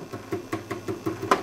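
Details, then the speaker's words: 12AX7 preamp tube in the Micronaut II microphonic analyzer at fixed 1 mA current: light, dry taps about five a second, each dying at once. Both triodes are quiet and clean, a good non-microphonic tube. "Same thing. That is a good operating tube. Nice and quiet."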